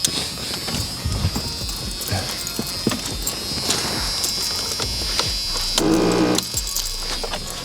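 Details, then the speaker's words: 1985 Merkur XR4Ti in neutral, fuel pump disconnected and fuel drained: rapid, uneven clicks of three or four a second with a faint buzz when the key is turned. A solenoid is suspected, unconfirmed. "What does that sound? That's horrible. I think that's a solenoid. I'm not sure."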